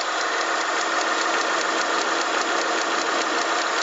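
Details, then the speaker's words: 2005 Kia Sorento V6, not cold, steady warm idle with quick light even metallic ticking several times per second; source not pinned down, owner suspects the alternator. "I don't know where it's coming from I think it's coming from in here somewhere I think it's probably the alternator"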